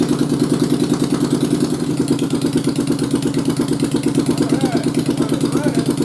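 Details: 1st Gen Yamaha Virago (xv750/xv920) converted to the xv1100 starting system with shimmed stator and pickups, first start on choke after install: a steady, even pulsing twin idle with no knocks or misses; normal idle, and it charges at 13.6.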